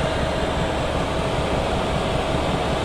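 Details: Chinese diesel heater at full temperature, with inlet and exhaust flowing correctly and the fuel pump working: a steady, even roar of combustion and fan with a faint constant tone and no surging; healthy running.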